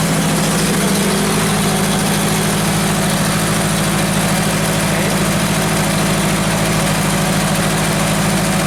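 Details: Genie construction lift whose crank-no-start fault, traced to a missing power feed, is being diagnosed and which is running on about 10 psi fuel pressure: even, steady idle with a smooth low throb and no misses or knocks. It is idling normally.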